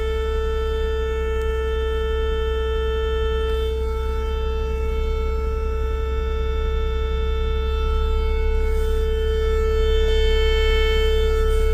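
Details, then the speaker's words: 2017 Ford Explorer 3.5L V6: a loud, steady siren-like whine from the dash opening, changing when warmed, made by the HVAC cabin air temperature sensor behind the speedometer trim, most likely its small fan; the fix is replacing the sensor. "that uh noise is made by a agac cabin air temperature sensor that's located right inside there and it looks like that so right in the middle there is a little fan and that's most likely creating that Vining like siren noise"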